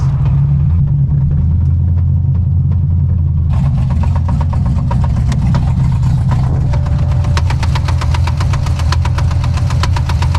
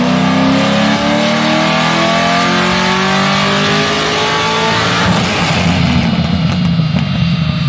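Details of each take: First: 2006 Corvette Z06 that began knocking badly while driving: on startup a loud, sharp, heavy knock taps rapidly in time with the idle. It sounded almost like rod knock, but the shop found it was not; the cause was a loose rocker arm. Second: 2006 Corvette Z06 on the dyno after a shop found its knock was not rod knock: a deep V8 roar climbs smoothly and evenly under full throttle for about five seconds, a healthy pull after a retune making roughly low 500s power.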